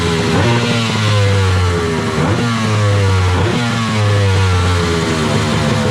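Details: Wave Blaster jet ski after a 701-to-1100 engine swap, running after a rubber O-ring was removed to increase cooling water flow and stop a silicone pipe overheating. Loud, raspy two-stroke revs up and settles in repeated swells, crisp and even. Normal running.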